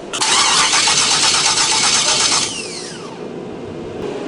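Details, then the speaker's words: 600+ hp 1976 Camaro V8 on Holley Dominator EFI, first start attempt: steady cranking about two seconds, spins down without catching; flooding, owner suspected a stuck injector. "he thinks is uh one of his injectors is stuck because he's dumping fuel straight on the motor"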